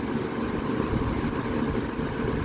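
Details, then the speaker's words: Vintage Vernco (Emerson Electric) 16-inch box fan model K-2, late 60s/early 70s, running on high: steady, even whoosh with low motor hum, no ticking or rubbing; powerful, just under 2 amps, 158 watts. "So, start it up on high. That's pretty powerful. This is just a 16-inch."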